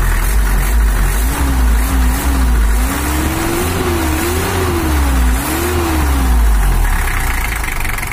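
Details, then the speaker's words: 1984 Toyota HiAce LH11 with 2L 2,200 cc diesel, after repair for overheating and coolant overflow, injection pump back at standard setting: even diesel clatter at idle, revving smoothly with throttle blips, no knocks or misses; normal idle and revving. "HiAce sekarang sudah normal, berada pada pengaturan standar HiAce , dan suaranya normal, kurang lebih seperti ini."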